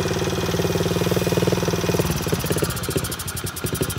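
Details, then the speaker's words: Old dirt bike: idle pulses unevenly, then stumbles into choppy, irregular firing that nearly dies; vacuum leak because the small carburetor fitting is missing its cap, and it runs extremely bad until capped. "it runs like yeah it runs extremely bad so you just want to make sure that you have this cap on here and then it should go ahead and idle like it up to"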